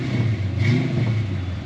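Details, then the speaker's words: 1988 Ford Mustang LX 306 V8 warmed to operating temperature: short, clean throttle blip with an even rumble rising without stumbling or popping. It runs rough and rich when cold. Normal revving. "as soon as the temp comes up like the idle picks up and it runs like like it should fakes the gas"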